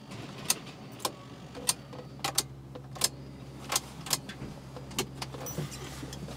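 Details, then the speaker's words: Built Mitsubishi Evo 8: a faint steady hum of the fuel pump under scattered clicks while it should be off, the pump energised through a jumped relay wire; a fault that took about an hour to diagnose. "see like right now you hear the fuel pump M it should not be on at all"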